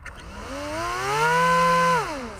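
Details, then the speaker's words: Dal Fold F7 seven-inch folding prop on AR wing, 3S battery: electric motor whine rises, holds, drops off with a slight buzz from vibration; prop imbalance remains after rotating it on the shaft, tape on a blade considered. "that deep buzzes the vibration see if i can balance it up a little bit better"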